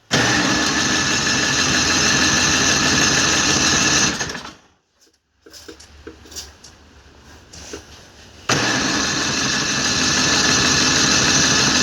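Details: MTD snowblower sitting several years, fresh gas, electric start: steady starter whir for four seconds, pause, more cranking; engine never catches. Later ran after carburetor cleaning.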